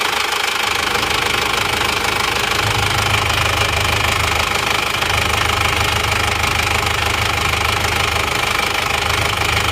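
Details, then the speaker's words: Isuzu Panther automatic diesel with heavy blow-by: steady, not misfiring, but loud constant hiss and chuff of pressurized smoke; worn, barrel-shaped cylinder liners, to be replaced. "jadi suara mesinnya seperti itu ya sebenarnya rata maksudnya rata itu dia tidak pincang tapi ngasap bocoran kompresinya itu ada lumayan pasti linernya sudah gentong kalau seperti ini"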